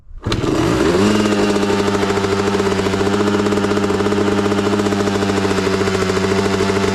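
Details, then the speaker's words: 2003 Honda CR250R two-stroke dirt bike, cold start on choke after priming kicks: catches at once, then holds fast steady buzzing idle well above normal; owner suspects throttle stop adjusted too far out, unconfirmed. "It's revving up way too high. I think this throttle's adjusted way too far out."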